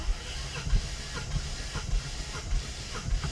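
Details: 2019 Mustang GT manual with Vortech supercharger, compression test cranking bank 1 cylinders: even, rhythmic starter thumps about a hundred a minute, no uneven beats; healthy compression here, though cylinder 7 on bank 2 is down 100 PSI.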